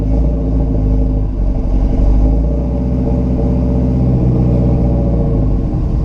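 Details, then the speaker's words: 1969 Buick Special Deluxe V8 with fuel-starvation stalling, after carb rebuild, while adjusting idle mixture screws and distributor timing: deep lumpy, wavering idle, no throttle input, running worse; rough running, cause unknown. "I'm starting to get confused. It's running worse. I don't know why."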